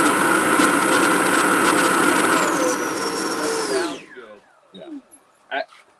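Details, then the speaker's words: 80mm EDF ducted fan's first full-throttle run on amp-reading test with a high-C 6000mAh pack: smooth steady high-pitched whine, then even wind-down as throttle drops; fan and motor sound healthy. "that was like the first time that fans ever seen full throttle"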